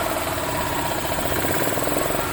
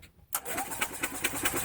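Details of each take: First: Yamaha Ultramax G23A utility cart, previously a crank no-start, with a crankcase-pulse fuel pump: the small engine runs at an even, steady beat for about ten seconds, then shuts off. It runs smoothly and sounds healthy. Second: Yamaha utility cart, crank no-start: the starter spins the small engine at about five even chugs a second, but it never catches. Fuel and spark were confirmed.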